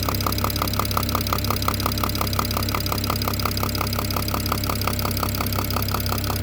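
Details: BMW E92 335i N54 engine at steady idle with a sharp, even tick-knock about 85 per minute over the hum; newly developed knock, owner suspects top end, source unknown.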